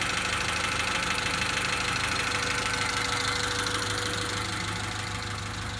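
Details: 1991 Honda Accord after head replacement, zero compression fixed by oiling cylinders (now 60-110 psi): engine catches and holds a steady, even idle with a light regular tick, running smoothly and settled.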